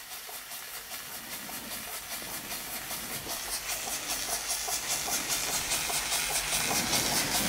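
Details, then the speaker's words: Weeden 38 model steam engine, at least 105 years old, running on steam pressure after earlier bad steam leaks; soft, even puffs about 150 a minute, slow, quiet and perfectly regular: normal running. "And very quiet too. Oh, I'm well pleased with that. Not bad, is it, eh? For a very, very old steam engine."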